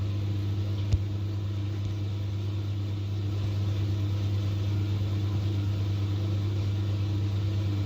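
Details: LG 10 kg direct-drive top-load washer, about 9 years old, after repairing the motor-side part whose cracking caused loud vibration and noise during spin: a low, steady, even hum through the spin with no knocking or scraping, running smoothly.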